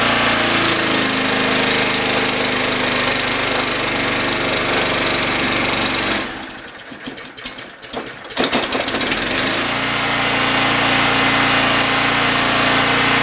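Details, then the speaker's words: Generac GN360 6500 W generator: steady engine drone sags and labours about two seconds then recovers after current was tapped to the brushes with the battery; shorted generator head loading the engine, possibly slight smoking. "what it's doing is it's shorting out so when you hear the engine go under load like it did towards the end that means that it's drawing some type of power and it's just frying itself more or less"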